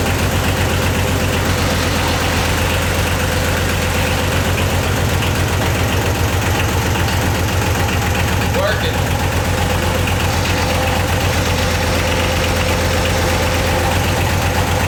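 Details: Yanmar YM276 diesel tractor after clutch replacement: even clatter at steady idle, about four beats a second, no misses, knocks or slipping noises; runs healthy.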